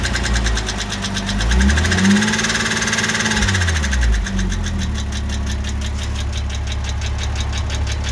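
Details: Porsche 986 Boxster 2.7 flat-six blips and settles to idle, with a recently developed crisp ticking about four per second over the idle; cause unknown.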